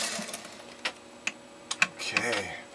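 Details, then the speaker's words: American Beauty sewing machine sewing a decorative stitch: quiet mechanism with light, sparse soft clicking of the stitch cams moving at the back, no grinding or knocking; runs well. "sure runs well doesn't it and you will hear periodically when the machine is running uh or you may be able to hear it you'll actually hear those cams with us just a soft clicking sound as they're going back and forth in the back of the machine"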